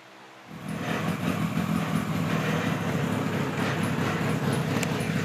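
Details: 1976 Kawasaki KZ900 A4 four-cylinder project bike on its first run after fueling the carbs, which was hard to start: it catches after a half-second pause and settles into a loud, uneven, lumpy run; rough running.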